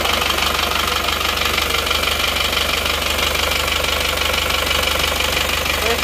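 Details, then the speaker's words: Isuzu Panther diesel idling with a harsh, clattery knock at about three beats a second, run before full assembly; rough running from cheap imitation "made in Japan" seher (pistons/liners), later replaced with genuine parts. "jadi rugi rp1.250 untuk belajar suaranya kalau pakai seher yang KW Jepang yang KW itu silakan dicermati silakan dinilai-nilai sendiri Ini suara suaranya seperti ini"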